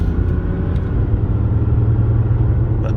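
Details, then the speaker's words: 2002 Jaguar XJ6/XJ8 on a test drive: a heavy, steady low roar drowns out the engine while cruising; a bad tire, wheel bearing or driveshaft is suspected, while engine and transmission seem fine. "oh, it makes a terrible roar. Yeah, terrible, terrible roar. Doesn't sound good at all."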